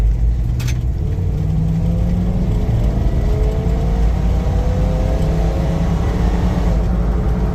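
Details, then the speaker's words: 1990 Grand Wagoneer carbureted engine after fuel pump replacement, formerly stalling and bucking at wide-open throttle: pulls hard at full throttle on a test drive, pitch climbing smoothly with no stumble, cut-out or bucking. "oh yeah thank you thank you finally I know fuel pumps sound so simple but damn you know process of elimination"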